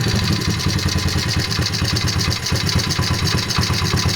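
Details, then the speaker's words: 2003 Honda XR50R 50cc single: rhythmic tapping riding every firing pulse, only at idle and louder on the right side; suspected in the transmission or crankshaft area rather than the valve train, piston or cylinder; cause not yet found. "ture of the sound is that it happens only when the engine is idling it's a rhythmic tapping and I believe it's louder on the right right side of the engine"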